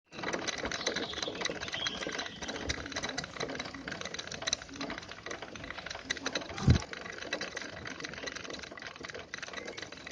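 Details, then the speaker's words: Motorbike wheel spun before a home wheel bearing replacement: fast, dry ticking with a rough, gritty rattle, steady throughout. The wheel bearing has failed. "വണ്ടിയുടെ wheel bearing പോയതാണ്, ബൈക്കിൻ്റെ. അത് നമ്മുടെ വണ്ടി ഇതിൻ്റെ sound കേട്ടത്."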